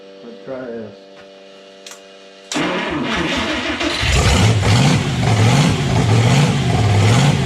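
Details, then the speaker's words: Red Ram 241 Hemi first start, stock exhaust manifolds, stock oil pump at 40 psi oil pressure: fires after a pause, roughens briefly, then settles into an even, strong beat as revs rise; normal running at rpm. "out of fuel that sounds a lot better at rpm sweet cool we had 40 pounds of oil pressure which is amazing 40 pounds oil pressure on the stock oil pump"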